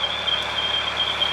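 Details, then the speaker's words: Narrowboat engine running while cruising: steady high-pitched on-off beeping from the control panel alarm over engine rumble, with red warning lights and the battery light flashing; cause unknown, owner plans to switch off and restart. "red lights on the control panel definitely one of them so you might hear that beeping noise that is on the control panel a battery light flashing and it's beeping"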